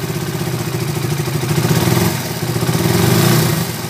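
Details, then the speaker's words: Raider 150 motorcycle engine after oil pump flow check, previously noisy; even low mechanical patter about four pulses a second, no knock or clatter, smooth settled idle; normal idle. "Okay naman yung pump niya mga kaabo so goods na yung andar niya"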